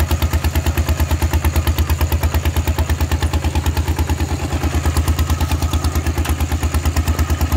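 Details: Thai tractor with iron wheels ploughing a rice paddy, fitted with a trial replacement exhaust pipe; heavy, even, deep chugging about three beats a second, very loud under ploughing load: loud open exhaust.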